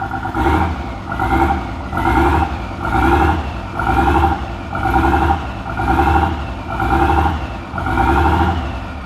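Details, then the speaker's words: Nissan RB30E in an R31 Skyline after a rebuild: revs pumped up and dropped about once a second, sagging each time and never settling; it runs but won't hold idle, cause unknown. "but won't idle so I'm not sure light learn idle"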